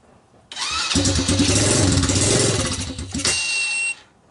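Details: China ATV with Kymco 125cc pit bike engine, cold start in snow, choke on, portable ignition: starter whirs, then a short uneven popping burst dying after three seconds; fires only on starting fluid, owner suspects stuck carburetor float, no fuel.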